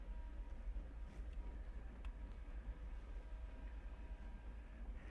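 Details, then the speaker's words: Porsche 924 EV conversion pulling away slowly in reverse just after pre-charge. A soft steady whir under low road rumble is the cooling-system fan, which runs full-time; the cooling system may be slightly undersized. Normal fan noise. "that noise you heard there is the cooling fan for the cooling system it uh runs fulltime the cooling system itself is uh maybe a little undersized for the car"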